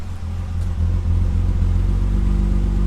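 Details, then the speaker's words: Dodge SRT-4 (odometer reads 290,000 miles) idling after a throttle blip, exhaust chopping in an uneven, lumpy rhythm like a big lopey cam; cause not yet known, and the car also has a squeaky idler pulley. "don't know if you heard the exhaust chopping right there the car starts to what what what like almost like it's got a big low P cam in it I got to figure out what that is all about"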